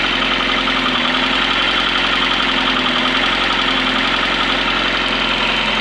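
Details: Yamaha XJR 1200 after carburetor synchronization: a smooth, steady idle with an even buzzy exhaust note and no hunting or stumble; the four cylinders sound balanced.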